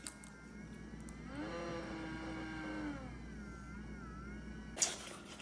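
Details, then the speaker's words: ResMed AirSense 10 CPAP before repair: a thin, high whine that swells and rises in pitch with each inhale through the mask; replacing the blower motor fixed it: blower motor whine. "so this is a ResMed air sense tin and it's got a problem where it's kind of whining whenever I put my mask on let me show you what that sounds like"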